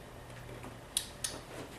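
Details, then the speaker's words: LG power supply board EAY60968801 (50PK750/50PK540 family plasma TV) plugged in for testing: a few crisp, isolated clicks with no buzzing or chatter, the usual relay click on power-up. "Okay. Usual relay click."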